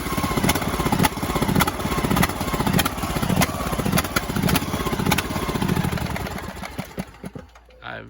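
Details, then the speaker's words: Craftsman DLS 3500 riding mower, 20 hp single-cylinder engine, new fuel line fitted: speed rises and falls unevenly at idle instead of holding steady; owner suspects the carburetor needs adjustment, engine not blown; idle surging. "I know the guys the guy put a new gas line on there but I think it's got something going on with the carburetor that's why it's surging definitely not blown up"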